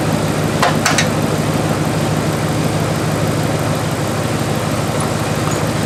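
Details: 1997 Dodge Dakota 5.2L V8 2WD after water pump replacement: after a couple of brief clicks it settles into a steady low rumble at idle with no knocks, ticks or squeals.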